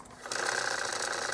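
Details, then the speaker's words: Tandberg TCD 310 three-motor cassette deck with a test cassette in: click, then a whirring spool motor that wavers unevenly in speed. Erratic spooling; owner suspects a sticky motor, and there is no solenoid action. "it's a bit erratic it's falling isn't fantastic but it could be sticky motor"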